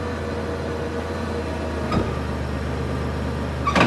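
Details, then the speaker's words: Chrysler Pacifica at idle: two dull single clunks a couple of seconds apart from the front end; customer complaint of front clunking, something broken. "All right, we had this vehicle come in with a clunking noise. Let's see what's going on."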